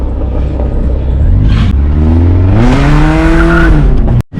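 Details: 2016 Dodge Charger after replacing the whole driveshaft because of a failed carrier bearing: deep exhaust rises cleanly through the revs under hard throttle with no clunk, whine or vibration from the driveline; normal acceleration.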